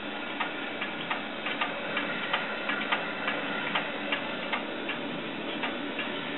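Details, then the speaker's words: Vintage desktop stored six years in a shed, trying to boot: sharp, uneven clicks about two or three a second over fan hiss, a dead-sounding hard drive's click of death, likely seek errors. "I mean, I know old hard drives used to sound bad, but that sounds dead. That sounds like the click of death."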